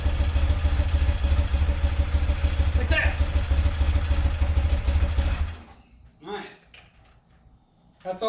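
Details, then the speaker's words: Rare motorcycle (1 of 286) on its first run after purchase, on full choke after fuel flow to the carb was restored and the float bowl refitted. Steady, even low boxer-twin thump with a short throttle blip; runs clean and healthy. "let's throw this bowl back on try again a full choke that sounds much better oh yeah really good"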